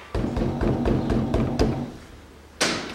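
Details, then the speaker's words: 2005 Toyota Passo, 1.0 L automatic FWD, 96,000 km, after caliper rework: wheel struck gives dull solid thuds about four a second, no metallic rattle; caliper now sits firm. "все собрал вторую сторону никаких стуков суппорта нет то что было это ушло"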